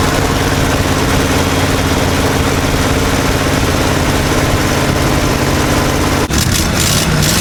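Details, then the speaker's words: 1955 Chevy dump-bed truck, sat 23 years, V8 running off a funnel fuel setup while old dirty fuel is pumped out: steady, even low rumble, no stumble, knock or miss, pressure looks great; normal idle. "Man, that thing sounds awesome. Sitting here running."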